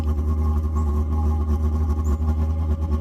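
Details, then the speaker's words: Vevor Chinese diesel heater on its first start after assembly and fuel priming: once lit, a deep steady rumble with a smooth even pulse and no popping or sputter; burning normally. "Just a reminder, you can see that's Oh, it's a chooching now. Holy cow."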